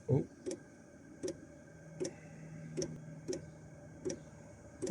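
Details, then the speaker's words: Chinese diesel heater after E-08 error, filter cap unscrewed and refilled, new exhaust fitted: sharp pump ticks about every 0.75 s over faint fan hum, smoke but no ignition; owner guesses flooded, possibly gunked fuel filter. "It's not firing up properly, is it? I guess it's probably flooded."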